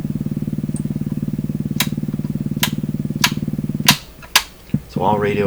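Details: Canadian PYE Model 39HC radio at low volume: steady low putt-putt pulsing about twice a second through the speaker, the set motorboating; cause being traced.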